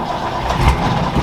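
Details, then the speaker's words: Ford F-100 truck: short crank catches quickly into a deep, steady rumble with even firing and no knocks or misses; a healthy start and idle. "oh this thing sounds so good i love it"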